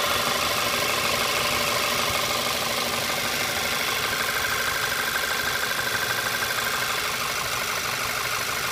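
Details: VW Tiguan, warm idle only: a regular, light, diesel-like knock about three a second, from the right-hand rear of the engine and audible in the cabin; oil not low. Others suggest the N80 valve or a missing injector spacer; cause unknown.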